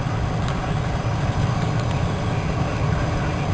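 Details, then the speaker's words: Passenger-side blower motor, previously dead from a loose wire (fuse good), after a simple rewire: steady, smooth whirring rush of air at even pitch, no chirps or grinding; spinning properly. "It's spinning so fast, but it's spinning in there. Right in there, so now I got that fixed. Simple rewire."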